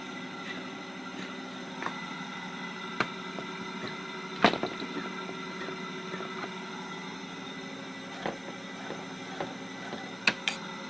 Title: RcTimer 2814 - 8120KV Very Noisy with BAD Bearings